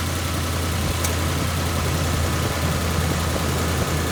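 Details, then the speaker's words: 2004-07 Ford 5.4 L 3-valve Triton V8 after VCT solenoid replacement, which had been rattling like a diesel: steady even low idle with a smooth unbroken rumble and no rattle; normal idle. "Sounds way better."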